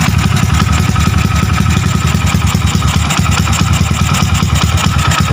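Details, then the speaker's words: Honda Wave 100 with 53mm block, stock cam to get 6.5 cam, ported head, lightened valve-pocket piston, first start after rebuild: quick even idle with steady low beat, quiet, no top-end clatter; healthy. "Pre, pa-start mo. Yan. Yan. Yan, andar niya. Tahimik naman."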